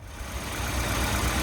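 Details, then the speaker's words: Car after new spark plugs, 8° more ignition timing, vacuum unit not working: steady, even idle with a smooth low beat, no misses or stumbles; running cleanly on all cylinders. "Okay, so we got this one all running. Uh, in the end, just a set of spark plugs."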